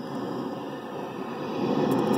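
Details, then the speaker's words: Accutrak ultrasonic detector picking up refrigerant escaping from a cracked refrigerant jug: steady hiss that swells and gets quieter as the detector passes by, LED rising; refrigerant leak. "hear that not only are you visually seeing that on the LED but you hear it just like you're hearing a leak"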